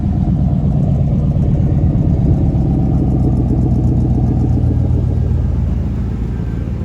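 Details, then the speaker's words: Chevy C2500 pickup after new spark plugs and plug wires cured a skip, with some spilled oil burning off the manifold: deep, steady idle rumble with no stumbles or skips; engine fires evenly and runs much better. "I got wire off change the plugs and wires it was pretty bad and the plugs were and wires didn't fit right but I tell you what she all runs a whole lot better listen to this no more skipping"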